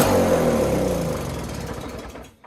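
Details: Ariens SS522e 5 hp single-stage snowblower, sat about 20 years, primed with fuel poured into cylinder: catches and runs rough a second or two then fades and dies once primed fuel burns off; dry carburetor starving it.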